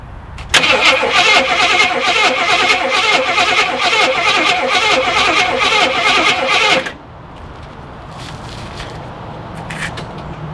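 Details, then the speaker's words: Chief motorcycle sitting 3 or 4 years, new battery, likely bad gas: steady starter whirring with even compression beats for about six seconds, spun over to prime oil; turns over freely but never fires. "I'm sure the gas in it's bad, but I'm just gonna go ahead and spin it over first, see what it sounds like, or see if it does spin over, and we'll go from there."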